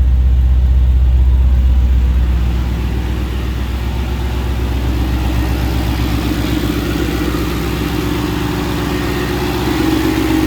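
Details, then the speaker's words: Ford Capri with a swapped Mercedes M113 5.0 V8: a deep, even, smooth idle with no top-end ticking. A loud top-end noise at first start, possibly hydraulic lifters, quieted after about five minutes of running and revving; an exhaust leak comes from unsealed pipes behind a shield. "Running smooth, very smooth."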